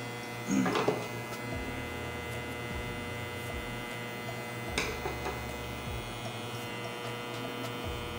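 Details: Hair clipper that turns on and off when the cable is moved, connector seems loose: low motor buzz over a steady hum dropping out and returning every second or two; suspected loose connection, not confirmed.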